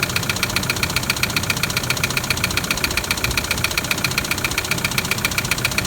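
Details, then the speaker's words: Toyota Land Cruiser LC120 diesel idling: loud sharp evenly spaced tapping about 2.5 per second, heavy internal knock; suspected piston tapping the head, not confirmed; diesel engine knock. "with this one i heard the same noise straight away you know there's a number of things it could be but that loud tapping i straight away believe to be the piston tapping on the head"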